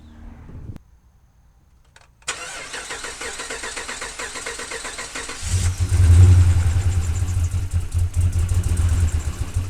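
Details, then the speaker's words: 2010 Dodge Ram 1500 5.7 L V8 first start after cylinder head installation: catches with an uneven, stumbling, loping misfire; a pushrod was put into an oil gallery hole instead of its seat. "So now that you heard it run and fail miserably and sound very, very bad, it was misfiring pretty bad, so I knew something was up."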